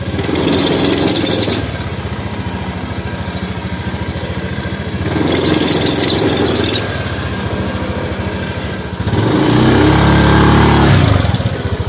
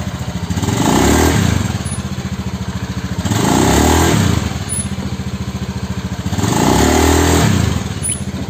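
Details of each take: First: Honda Scoopy fuel-injected scooter: shuddering, rough surge with thin high squeal on initial take-off in four short pulls; CVT judder and squeal, fixed by disassembling the CVT and rear pulley. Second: Honda Scoopy injection scooter after a CVT repair for take-off judder and squeal: three smooth pull-offs, engine note rising and falling with no squeal or judder; the clutch engages cleanly, a normal CVT pull-off.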